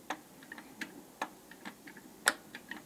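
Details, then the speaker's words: Opel A18XER engine with two cam phasers, high oil consumption and knocking, inspected during teardown with the timing gears locked: sharp, uneven clacks about three per second from one camshaft's phaser, absent on the other camshaft. This is likely the phaser rattle that concerns the owner, and the phaser will likely need replacing. "Видите Видите как клацает для сравнения Вот например на вот этом валу такого нет"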